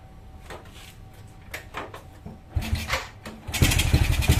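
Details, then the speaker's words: Honda Supra Fit motorcycle with a leaking carburetor, where a bent part that should sit straight causes a leak, causing hard starting. The engine coughs through a start attempt, then catches with an uneven, stumbling beat. "Nah, ini ngambang berarti ini bocor. Kalau ini bocor, motornya susah hidup gitu. Walaupun hidup juga bunyinya gak enak."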